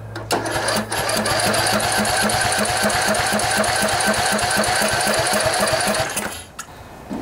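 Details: Cub Cadet LT1018 riding mower, 18.5 hp Briggs & Stratton Intek OHV single, stored about a year, new battery, carburetor emptied and refilling via the fuel pump: even chugging about four beats a second, never fires; cranks but won't start.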